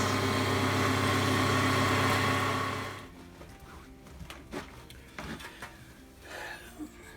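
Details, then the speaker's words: Clarke Woodworker CWL6B 20-inch wood lathe after new belt and new bearings: smooth, even hum, then quiet spin-down with no rumble or squeal; runs healthy and quiet. "I think that was a great success it works beautifully now nice and quiet"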